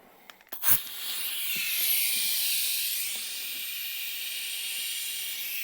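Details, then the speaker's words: Air compressor inflating a Cub Cadet lawn tractor tire tube: a sharp click, then continuous high airy hiss throughout from worn, cracked tire inflator and hose fittings leaking air. "as you can hear in the video my air system is not in the best shape anymore both the tire inflator itself and the two fittings meeting together the hose and the tire inflator are worn out cracked not working the best"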